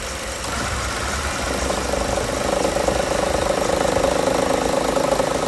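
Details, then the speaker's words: 2013 Chevrolet Cruze at steady idle with the AC on: a light, fast rattle of about three per second rides over the idle, not there with AC off. The belt tensioner is suspected and is being replaced. "When you turn on the AC, it feels like it's like something's either like vibrating too much, kind of like a little, I don't want to say like a tick, but I think I recorded something, so I'll upload the little, insert the video clip right here."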